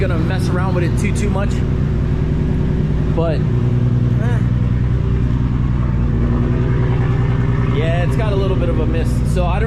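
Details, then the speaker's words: Nissan Skyline R33 GTR RB26 first start after work, igniter ground not connected: a deep, loud idle with an irregular lope and occasional stumbles; a slight miss on first start. "all right so some success let's try it all right as you can tell it's got a little bit of a miss here"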